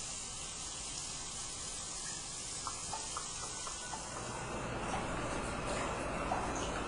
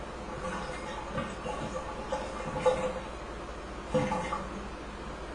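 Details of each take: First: Hydro tub (whirlpool) during a home inspection, running a few minutes with all jets working: an even, steady rush of water and motor with no knocking or surging, building slightly halfway through; no leaks found. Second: Hydro tub draining during home inspection: irregular wet glugs and bubbling every second or so as vacuum breaks under water pressure; drain gurgling, possibly a blocked vent, plumber to check lines.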